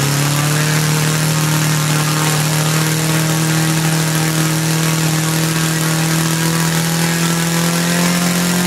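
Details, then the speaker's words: Laser four-stroke model engine from a Flair DR1, earlier no compression and would not start; after heat was applied and the carb, which had lost its factory settings, was reset, it runs cleanly: strong even buzz creeping slightly higher as it warms, needle not leaned out. "Well, there you go. That was a resounding success. I didn't even attempt to lean the needle out. I just know it runs and I'm happy with that."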